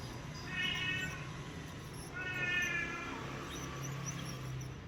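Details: Bicycle wheel turning gives bursts of bird-like chirps about once a second, first mistaken for bottom bracket noise; worn freehub (cassette body) bearing, fixed by replacing the bearing, leaving the wheel smooth and quiet.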